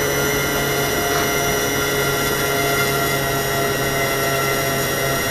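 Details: E-flite 1.2m Spitfire RC plane electric motor on a 4S 2200 battery (manual calls for 3S), bench-tested with a second battery after a mid-flight LVC cutoff crash; constant high even whine, motor runs fine but voltages sag to about 3.16–3.18 per cell.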